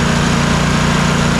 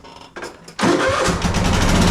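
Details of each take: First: Troy-Bilt Mustang RZT zero-turn mower that bogged and died under load, after replacing a bad ignition coil: steady even idle with a smooth low throb, no misses, both cylinders now firing; normal running. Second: Troy-Bilt twin-cylinder zero-turn mower, bogging and dying under load: runs lumpy then sags and roughens, running on one cylinder at about 11 hp and cutting poorly; failed ignition coil, no spark on one cylinder.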